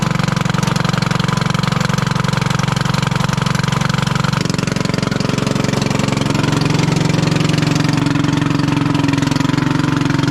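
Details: 1996 Craftsman LT1000 Turbo Cool lawn tractor idling after its flooded, fouled spark plug was dealt with: harsh, very loud raspy exhaust popping. The muffler is split in two and letting exhaust out unsilenced; it is not a head gasket problem.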